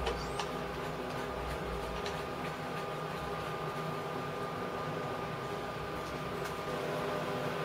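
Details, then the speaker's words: MIG welder with Euro torch, new liner just fitted, trigger held to feed wire through to the gun: quiet steady motor hum with a light whirr as the wire runs; feeder pulling evenly and smoothly, normal wire feed. "so guys all you do now is just push the button wait for the wire to come through when it gets close to the gun you'll hear it and you can just feel a little bit of vibration just means it's coming through"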